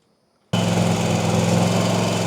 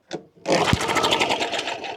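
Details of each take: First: RedMax CZT54X zero-turn mower after repairs, still smoking slightly, suspected oil burning off: fires up and settles into a steady even buzz, no misses or knocks; running smoothly. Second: Long-unused push mower started on starter fluid: engine catches and runs ragged, smoking, for a couple of seconds then dies; fuel tank completely empty.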